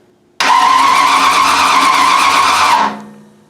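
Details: Mustang Fastback project, mini starter triggered through solenoid trigger wire: starter whirs at even speed for about two and a half seconds, no grinding or clicking; starter cranking normally.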